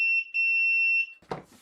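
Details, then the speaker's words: PS5 console with triple-beep fault, multimeter in continuity mode on a board fuse: high, steady tone for about a second, continuity present, fuse intact. "So we'll go to continuity mode. And we've got a bunch of fuses we can check. So we do have continuity on there, which is good."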